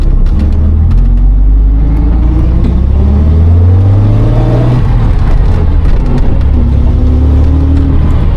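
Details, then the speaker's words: Mercedes gullwing supercar bought after about 10 years sitting, first drive under its own power: engine pulls steadily with an even low drone rising and settling with road speed, no misses or knocks; pretty smooth, normal running. "That's pretty smooth."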